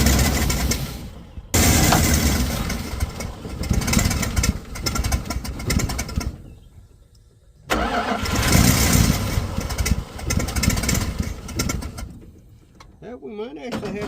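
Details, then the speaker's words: 1985 Dodge engine on its first start: it runs rough with a sharp ticking puff in time with the firing that mimics a rod knock. Owner is sure it is not knocking; it is a bad exhaust leak. "it's got a really bad exhaust Lake that's why it kind of sounds like it's got a rod knock I sure it's not knocking"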